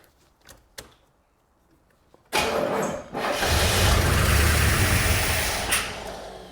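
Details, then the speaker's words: 1984 Corvette C4 with Crossfire Injection, parked over 20 years, with fuel poured down the intake: a short crank, then it fires and roars, dips, catches again and runs rough on the priming fuel. Fuel delivery is suspected but unconfirmed. Brief fire, then stumble. "Probably a little thirsty here to start. We'll try that."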